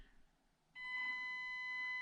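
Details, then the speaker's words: Stock ESC in Panda Hobby Tetra K1 micro crawler, highest gear (gear 3): thin steady high-pitched PWM whine over faint hum; still very noisy, starts earlier but slow speed nearly impossible, poor low-speed modulation. "still super noisy but it starts earlier so those gears won't help you but it's nearly impossible to go slowly with this truck"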